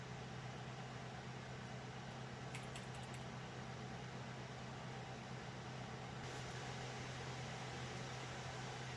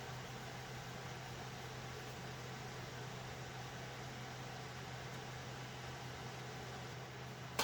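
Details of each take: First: Alphacool Eisbaer Pro Aurora AIO on a server after pump motor replacement, full stress test: steady low hum with even, noisy fan rush, no rattle, gurgle or pump chatter, serious heat coming off the socket; cooler running healthy under full load. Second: Server with an Alphacool Eisbaer Pro Aurora AIO liquid cooler: steady airy rush with a low constant hum from fans running hard with heat coming off the socket, no clicks or rubbing; loud fan noise, fans to be replaced.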